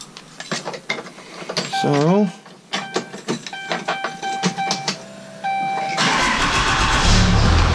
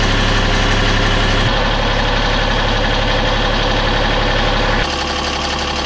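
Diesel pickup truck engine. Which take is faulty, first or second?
second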